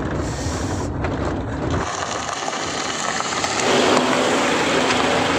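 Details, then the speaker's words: Toyota Alphard, road test over rough, broken road at fairly high speed after EPS steering rack repair: steady tyre and road rumble with no clunks or knocks from the front end; earlier suspension noise is gone, now silent. "Nah ini Alhamdulillah untuk suara yang sudah sebelumnya tadi kita coba Sudah bunyi sekarang sudah benar-benar hilang Bos senyap"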